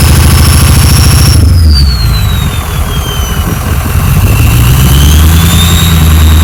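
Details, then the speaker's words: Ford F-350 diesel farm truck idling after repair of a bad injector and bad wire and removal of an extra muffler: loud steady diesel clatter with clear turbo whistle sagging and climbing; runs smooth, normal. "a little sound teaser for all of you guys who love to hear the whistling of the the turbo whistling"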